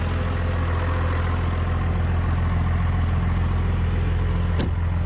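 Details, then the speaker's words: Rebuilt 5.9 Cummins diesel pickup swap idling after a cold, jump-assisted start of about 8 cranks, no starting aids or throttle; deep steady clatter at about three and a half beats a second, even and unbroken, idling fine. "All right, well, we got her going, man. Took a little jump. What did it crank? About 8 times before it really took off."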